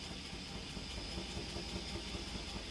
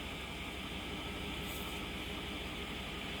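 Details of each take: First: 2008 Chevrolet Suburban with a cylinder 4 misfire: check engine light flashing, truck shaking hard and losing power, exhaust at the muffler sounding slow; uneven, loping low thump at idle with stumbling, dropping beats. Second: 2008 Chevrolet Suburban after repair of a cylinder 4 misfire that had flashed the check-engine light and caused shaking and power loss: steady, even idle hum with no stumble or shake. The misfire is resolved.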